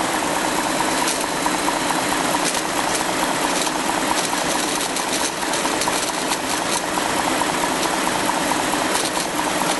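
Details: 2004 BMW 545i automatic with N62 V8 at idle: irregular dry rattle and ticking rising late on, not tied to firing rhythm; owner suspects a bad bearing.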